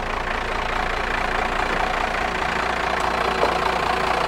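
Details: Diesel truck first started after sitting for years: steady, even diesel clatter at idle with no misses or knocks. Healthy idle.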